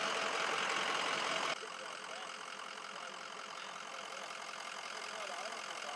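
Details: 2004 Ford F350 6.0L Powerstroke diesel after EGR cooler gasket replacement for a coolant leak, with the fuel system purged of air: even, steady idle clatter with no misses or odd knocks before the test drive.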